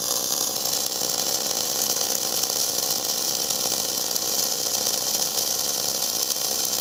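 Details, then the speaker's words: Gas-shielded flux-cored arc welding (FCAW-G) on oily coupons, less smoky than self-shielded. A soft, even frying hiss holds steady throughout with no sharp pops or spatter; a smooth, correctly set arc. "Yeah, sounds pretty nice. So you can hear kind of that soft arc."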